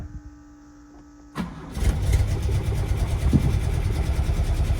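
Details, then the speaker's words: Classic Lancia Flavia under restoration, started as a baseline with the air cleaners removed before carburettor tuning. It cranks briefly, catches and settles into a lumpy, uneven idle at about three beats a second; the carburettors want tuning, the cause not yet confirmed. "I mean it's running but it's it's lumpy"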